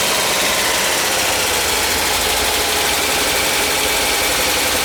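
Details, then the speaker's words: VW Westfalia, cold start after cylinder head replacement (old head suspected cracked): a slightly uneven cold idle with a fast, light ticking. It is expected to run rough until the pumped-down lifters pump back up. "Yeah, we're getting there. Gonna run rough till those valves pump up too."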